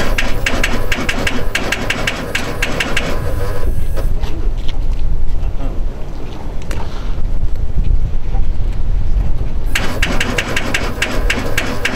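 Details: Aston Martin CC100 with start-up issues: starter spins in rapid, even bursts with pauses between tries, but the engine never fires; no-start.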